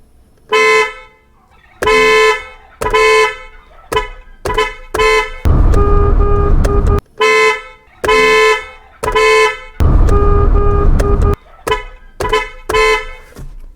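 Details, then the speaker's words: Car horn after repair, wired through an added relay to turn a negative-pulse horn signal into positive pulses: loud, clear short and long blasts at a steady strong pitch; healthy horn, owner thinks it could be slightly sharper. "I think it needs a bit more sharp But, for me that´s what I want I want to be hear when driving"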